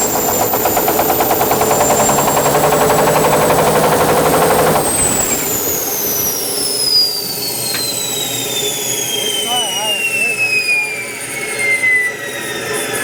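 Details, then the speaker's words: Caterpillar D8H cable dozer, first start after sitting 15+ years: loud engine roar, then a high turbo whistle sliding steadily down in pitch as it spools down; turbocharger spinning freely, normal whine, oil pressure pegged. "Yeah, the turbo works. Holy cow. Hey, you really hear that whining."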